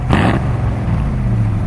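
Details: 1968 Ford Mustang 289 V8 rev: a quick throttle blip, then a deep, even burble settling back with no misses or knocks; the engine sounds healthy.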